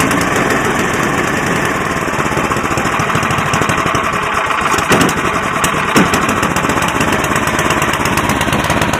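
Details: Cub Cadet 1030E snowblower, 10 hp, cold start with choke, in neutral: steady even small-engine drone with no knocks, misses or surging; runs smoothly though carb needs cleaning.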